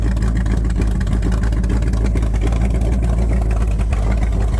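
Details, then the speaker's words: C3 Corvette V8 first start after sitting a year, valves just adjusted, running for break-in on stock manifolds with a short open dump pipe: loud, deep burble with a steady lumpy beat and no odd knocks; healthy running. "I put the old manifold on and it's literally just the old manifold and a dump pipe that ends like right there so sounds pretty good"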